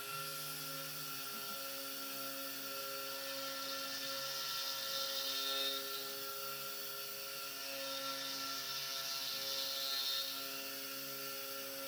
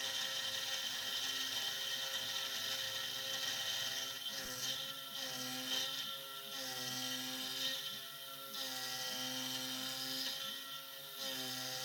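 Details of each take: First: SX2.7 mill conversion with NSK ATC spindle, new end mill from the same batch after the previous one shattered: steady clean spindle tone with even cutting hiss swelling gently on the ramp, no crunching or chatter. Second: SX2.7 CNC mill conversion with NSK ATC spindle cutting a lathe leadscrew handle: high harsh screech in uneven bursts over spindle whine during the ramp, rough chattering cut, cause unknown.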